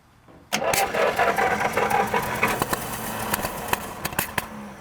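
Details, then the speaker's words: 1937 Buick Special straight-eight sitting for decades: cranks with uneven catches and popping that never settle into idle; suspected sticking carburetor float, fuel possibly boiling; cranks but will not start. "come on baby it looks like our uh float sticking cuz it looks like it might be boiling"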